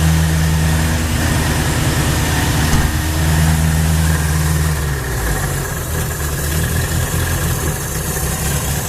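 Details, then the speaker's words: 1980 Honda Accord on a newly fitted Weber 32/36 electric-choke carb (Redline conversion kit), first start after sitting since roughly 2008: petrol engine fires and holds a fast, steady high idle because the throttle is sticking open; muffler also cut. "The fuel's out of it. Oh, just like a dream! Comes up a little high here."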